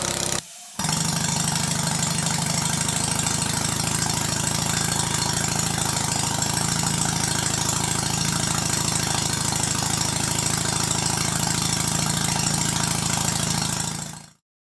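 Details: Stuart Sirius single-cylinder model steam engine, warm, at increased speed: fast steady chuffing at about three beats a second with a hard knock on every stroke; far noisier than its twin; slightly off valve timing suspected. Cause suspected, not confirmed.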